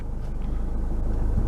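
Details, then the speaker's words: 2014 Ford Fiesta 1.6 TDCi diesel with crank-no-start (P244D) after losing power under full acceleration; after refitting the exhaust gas temperature sensor, it fires on the starter with clutch pressed, low even clatter building steadily without misses; normal start. "aber frei dort angesprungen"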